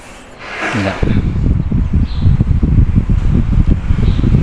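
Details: 16-inch electric fan after repair: weak capacitor replaced with 1.5 µF. After a short start-up there is a steady, strong whooshing with no knocks; speed 1 is now as strong as speed 3. Runs normally.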